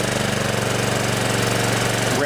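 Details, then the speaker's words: DR TR1 walk-behind trimmer with a Kawasaki FC150V 6.75 hp engine that sat in storage, before carb cleaning: it idles but won't rev up. With the choke pushed on manually, the thumping holds and then climbs. The engine is starving for fuel from a plugged main jet. "Seems like it'll idle okay. It just won't rev up. So I think that what that's telling me is the main jet inside the carburetor is plugged."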